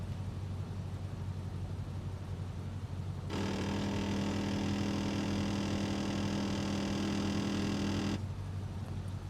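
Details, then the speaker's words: C5 Corvette Z06 driver-side headlight motor, recorded beside the car while closing the lights, gives a steady buzzing whine with fast ticking chatter for about five seconds; the gear is spinning and slipping inside the motor, so the light only sometimes rises. "So, that sound you just heard is the headlight gear spinning uh within the headlight motor."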